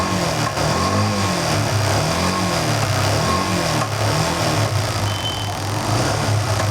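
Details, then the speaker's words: Yamaha FZ-S motorcycle after a complete engine rebuild finished the day before: single cylinder pulls smoothly through repeated revs with a steady, even beat and no rattle or tapping; it doesn't stall and sounds healthy. "So బండి అయితే స్మూత్గా ఉంది, చూసారా? ఆగట్లేదు బండి అయితే, బాగుంది, ఇబ్బంది ఏం లేదు ఇక బండి."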